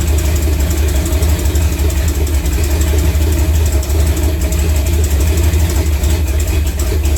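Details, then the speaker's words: Chevrolet C10 V8 on first start after fabricating new exhaust; deep idle with fast light tick-tick in the exhaust pulses from an exhaust leak at a joint missing a bolt. "I'm missing a bolt. That's why you hear the little tick, tick, tick, tick, tick. Got an exhaust leak because I ain't got a bolt."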